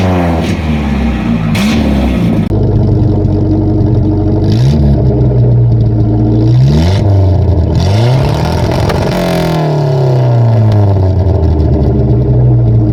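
Deep, even exhaust rises and falls cleanly through several blips with no rattles, blowing or ticking; a sound, leak-free system.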